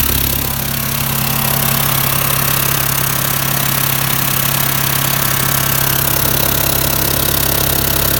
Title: VW T4 strange engine noise, exhaust manifold?